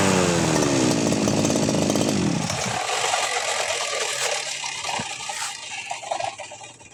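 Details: Two-stroke 411 brush cutter that sat unused for about a year and would not start, running after carburetor cleaning, spark plug check and refuelling: a crisp, even buzz holds steady speed, then shuts off. Normal running after repair.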